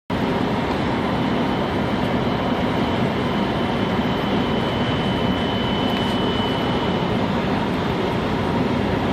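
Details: 1997-2003 Dodge Dakota 3.9 engine: thin steady ~3 kHz whine holding pitch regardless of engine speed; suspected Denso alternator bearing, power steering, idler pulley or water pump, not confirmed.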